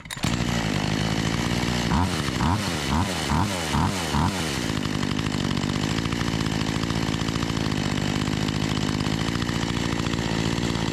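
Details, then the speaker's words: Makita EA3200S chainsaw, low-side screw adjusted from too rich to slightly too lean: surges up and down for a few seconds, then settles into a steady high buzz as the mixture is found. "just trying to get this dialed in a little bit here I think it was actually running too rich right off the bat so I leaned it out and now it's running just a little too lean so I'm trying to find that"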